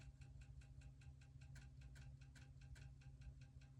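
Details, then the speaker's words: Old crusty spare floppy drive on a Shuttle HOT-433 motherboard under restoration: quiet rapid clicking about five times a second over a low hum, head seeking without reading; drive struggling. "powering up sounded good that doesn't sound great but let's see what"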